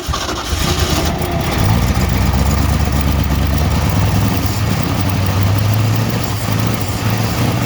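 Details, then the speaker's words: 1969 Ford F100 that sat for years with no hood, hot-wired, first fire: catches after a few cranks and settles into a lumpy, wavering idle that never smooths out; rough running from carburetor trouble. "Well, we got it to fire. Sounds like doo-doo, but make a little in here."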